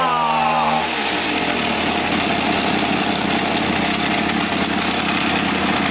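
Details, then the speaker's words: Echo HC-1600 two-stroke hedge trimmer, revived after sitting a long time: screams at high revs with a thin, strained buzz after starting, sounding lean. High-speed mixture too lean; needs opening about half a turn, idle may need resetting. "We need to open that up. Give it a good half a turn. We may have to set that idle up again."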